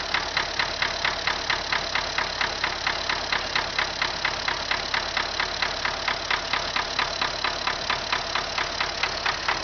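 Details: MTZ tractor diesel engine at idle after starting: a sharp, regular metallic knock, roughly two per second, over the idle; internal engine knock, cause not yet found.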